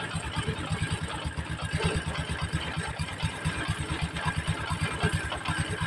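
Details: Honda Supra X 125 at idle after new clutch bell and centrifugal clutch shoes: loose uneven clattering about two knocks a second from clutch area; rough clutch-side rattle.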